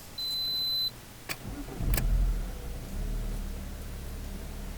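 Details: Alfa Romeo 147 with hard-start problem (worse when hot) after replacing a faulty hose with a used one: chime, brief crank, catches almost at once and settles to steady idle; normal quick start after fix.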